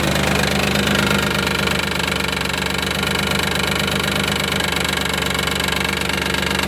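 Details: 1995 Isuzu Rodeo 3.2 V6, about 151,000 miles, idling after an oil change with no metal shavings: a heavy even knock three to four times a second, felt more on the driver's side, easing around 2500 rpm; owner suspects timing belt tensioner, fears rod bearing.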